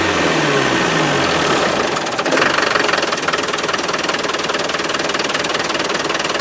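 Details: Land Rover 300Tdi diesel pickup, restarted after standing since August, with air in new 8 mm fuel lines: revs briefly then drops to a clattery uneven idle, won't hold revs; owner suspects air entering through the lift pump.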